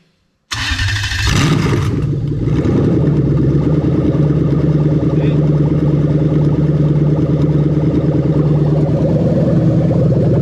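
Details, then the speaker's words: Starter controlled by a Link G4X Xtreme ECU with the crank cutoff set to 400 rpm: a short crank, then the engine catches and settles into a steady, even idle, the starter dropping out cleanly with no grinding. Normal crank and start. "as we go to start it you'll see exactly what rpm it's cranking at and that'll always be a good indication so at the moment we set it down to 400 rpm"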